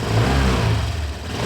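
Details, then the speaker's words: 2019 Honda Vario 125 scooter: low uneven gravelly growl at low revs, unchanged after shimming radiator cover; cause not found. "Ternyata masih tetap saja tidak ada perubahan, masih tetap kasar dan ngorok suaranya."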